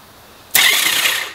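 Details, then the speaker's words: Honda Valkyrie during hydrolock repair, while chasing a starter relay getting no signal: brief high, thin whirr with no engine chugging. The starter seems to spin without turning the engine; a loose connection is suspected. "oh well whatever we did it spun the starter but it didn't sound like it spun the engine right i do not hear the engine"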